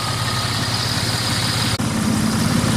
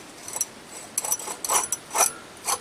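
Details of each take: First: 1999 Dodge Dakota 3.9L V6 Magnum after idler pulley replacement, old pulley missing bearings: steady even idle with smooth low hum and no chirp or squeal, belt tracking straight; normal idle. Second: 1999 Dodge Dakota 3.9L V6 Magnum, engine off, belt removed, idler pulley spun by hand: rough scraping bursts about twice a second; worn idler bearing that sometimes bound up and killed the engine, replaced.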